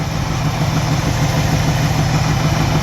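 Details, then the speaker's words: 1984 Camaro Z28 350 V8, cold start after cranking and possible flooding, mic at exhaust: steady, slightly lumpy idle with faint regular tapping; owner suspects rod knock, not confirmed. "Sounds like it's running pretty decent right now. Alright, so it runs. I'm pretty sure it has a rod knock."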